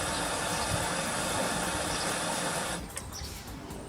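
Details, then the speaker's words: Whirlpool AWOE 8760B washing machine after motor brush replacement for F06 error; steady rush of filling water with soft, regular tumble of the drum turning, no F06 error: motor drives the drum normally. "fill it with water and you can see successful now the drum turns and there's no f06 error"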